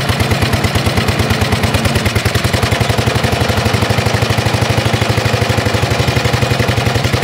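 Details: 1930s Dennis Z Type 30in lawn mower, sat for years in a barn, started by starting handle on choke; small single-cylinder engine runs cold with rapid machine-gun-like backfire pops, about ten a second, and smokes.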